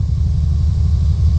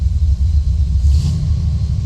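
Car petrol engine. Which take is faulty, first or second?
first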